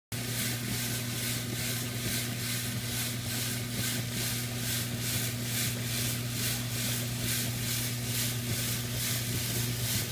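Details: DuraBULL jewelry tumbler running with steel shot: a steady motor hum under a loud hissing rattle of shot surging about twice a second as the barrel turns. Normal operation, just extremely noisy.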